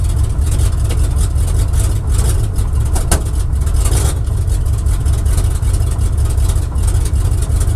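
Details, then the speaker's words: Barn-find square-body truck with Oldsmobile 350 Rocket V8, cold start after sitting, accelerator pumped: deep, uneven idle that lopes and stumbles instead of settling; running rough, cause not yet known. "That does not sound good. Let's see if we can get this thing healthy today."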